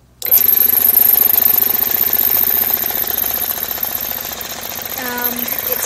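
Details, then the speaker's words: Homemade 240 V electric compressor, belt tension not yet adjusted, release open for start: motor starts into harsh uneven slapping clatter with thin high squeal; drive belt noisy because it runs out of line. "The belt's really noisy because, I don't know if you can see, it's out of whack."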